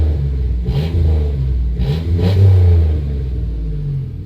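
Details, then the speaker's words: 1991 Dodge Grand Caravan SE, revived after sitting since 2003, old clamped muffler cut out: deep, loud blatting roar swelling with each rev and dropping to heavy rumble; straight-through exhaust with no muffler. "Deleted the muffler. Clearly somebody's been here before because it's clamped, so we'll be muffler number 3 probably, but there we go."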